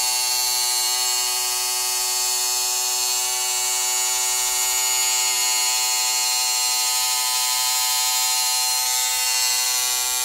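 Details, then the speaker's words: Motorized Walters bascule bridge (model railway), counterweighted with about 180 g; gearbox drive rod kept loose with no tight spots loading the motor. Steady, high-pitched gearbox whine, consistent with no high-low swings or catching as the bridge moves: normal gear motor run. "pay attention to the gearbox noise can hear it's very consistent and it doesn't get high low"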